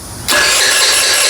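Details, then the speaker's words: Rebuilt GY6 49cc 139QMB engine after carburetor swap: starter whirs with a steady high buzz but the engine never catches; cranks without starting, owner suspects timing or carburetor, cause unconfirmed. "It's trying, but it doesn't want to turn on. Which I don't know why."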